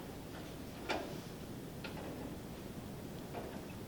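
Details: Massey Ferguson 65 tractor with no spark and a known safety neutral switch problem, being turned over so the engine won't seize: a few faint single clicks about a second apart, no cranking; starter clicks but won't turn, bad safety switch suspected.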